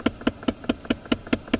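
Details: 2008 Dodge Avenger with key on and A/C on gives crisp even ticking about five times a second behind the glove box; failing recirculation/blend door actuator, ticking starts when the door is pushed closed.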